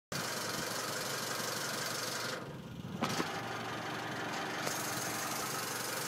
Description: Knocking sound at a certain rpm.....